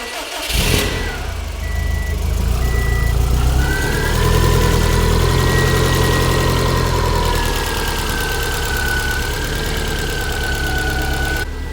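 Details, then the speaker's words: Built Subaru STI on its first start on a base map with an access port installed: a brief crank, then a smooth, even idle with a steady belt whine and no knocks or ticks; healthy. "listen to How healthy this motor sounds man it sounds good so smooth"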